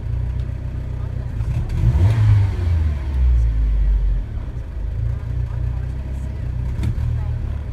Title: Hesitation from idle and misfire